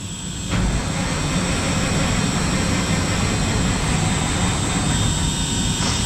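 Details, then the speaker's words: 1974 Mack R Model diesel engine after bent pushrod swap and valve cover gaskets, fuel lines recently off: starter cranks steadily but sluggishly, no firing; battery reads about 10 volts on one side, needing a jump. Cranking no start, low battery. "battery's low on this side which doesn't help us that doesn't help us at all H yeah we got 10 volts"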